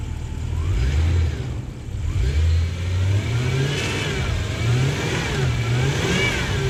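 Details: Lexus LS400 Toyota 1UZ-FE V8, first start after fitting into the body: deep, even V8 note rising and falling smoothly with revs, no knocks or misses; engine runs healthy.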